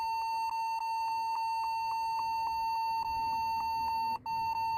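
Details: Computer keyboard beeping continuously, a steady high tone near one kilohertz repeating about three times per second without letup; a stuck key is suspected, not confirmed.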